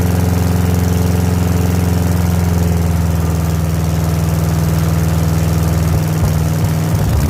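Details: 1970s Layton roller compactor, Ford Taunus 60-degree V4, fuel pump switched on, good battery: starter churns with even compression pulses but never catches or picks up speed; crank no start.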